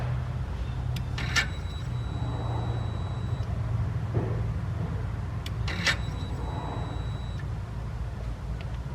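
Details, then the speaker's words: 6.7 Cummins with codes P0102, U010C, P144F and P144E. Over a low rumble, a two-second whir repeats every four seconds as the turbo actuator cycles, camera near the turbo, when power is applied at the TIPM relay. This is normal and shows a control-side fault, later traced to a rotted TIPM pin and connector. "And I don't know if you can hear it from over there, but you can hear the turbo actuator cycling."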